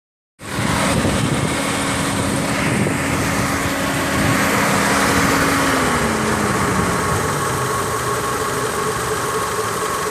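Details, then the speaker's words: 2003 Mitsubishi Lancer: a thin, high belt squeal over idle each time the AC compressor kicks on, engine note sagging under load. Cause suspected, either a bearing or a failing compressor. "every time it kicks on as you can hear the uh belt start squeaking really good so it's either the bearing there or the compressor's going bad"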